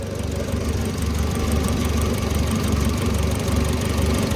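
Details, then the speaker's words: Oliver Super 66 tractor after valve adjustment (loose valves reset to 0.016): low, even chug at idle with steady firing beat, no tapping, knocks or misses; normal idle. "well that started a revolution quicker so everybody sounds happy they all sound the same"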